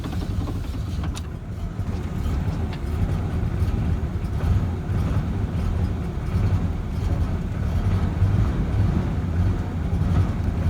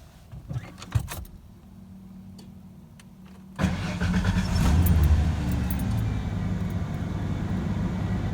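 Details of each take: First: 1994 Ford F-150 4.9L straight six, 5-speed manual, cold start: low, lumpy, surging rough idle lasting about a minute before smoothing out; idle air control valve suspected, to be replaced. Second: 1994 Ford F-150 4.9L straight six, 5-speed manual, previously rough cold-start idle, after idle air control valve replacement: key clicks, quick catch and steady, even, smooth idle: normal start and idle.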